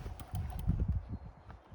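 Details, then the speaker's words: Hurley Mini Swell e-bike, 3 years old, about 700 miles, undamped front fork: soft uneven low clunks as the bike is rocked, play at the fork lowers; bushings inside the fork are wearing so the lower section rocks. "The bushings inside the fork are actually wearing, so this lower section of the fork is starting to rock."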